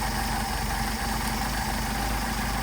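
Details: Mercedes 190SL Solex carbs rebuilt elsewhere, run on a test engine: steady low idle with a slightly uneven, lumpy note; idle mixture screw bottomed out with little adjustability, so the idle roughens.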